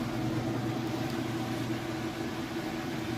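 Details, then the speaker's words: Kenmore washer (used, fully tested) in final spin cycle at full speed: steady, even hum with no thumping or knocking; drum very stable, no jumping around or shakiness, balanced and spinning normally. "is up to speed and it looks great. It's very stable. There's absolutely no jumping around or shakiness"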